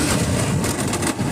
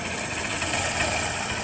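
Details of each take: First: Honda Shine motorcycle, opened three times by other mechanics, not taking third and fourth gear: rough rumbling engine with irregular gritty rasps like chewed gear teeth; gearbox found completely broken inside, replaced. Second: Honda Shine motorcycle after a full gearbox replacement; the old gearbox came out broken and the bike had previously been opened about three times: steady, even engine run with a light quick tick, no knocks or grinding, gear noise gone. Healthy.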